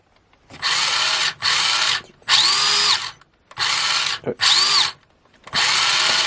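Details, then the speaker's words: Restored 20-year-old Tamiya M-03L RC Mini Cooper, 2003 model, tested after correcting the ESC program-card setting; short bursts of high whirring that spin up and cut off cleanly with no grinding or stutter, normal running. "so there we have it all right so we have a functioning M3 L for the first time in God knows how long"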